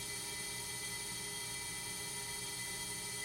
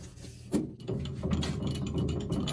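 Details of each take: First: Accu-Turn 8944 brake lathe resurfacing a brake rotor, howling with a steady piercing high-pitched ring near the end of the cut; cutting chatter, possibly from a bad carbide tip. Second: Accu-Turn 8944 brake lathe resurfacing a brake rotor, second more aggressive pass: even motor hum with a steady cutting tone and light clicks, no howl or chatter; clean finishing pass, rotor thickness still above minimum.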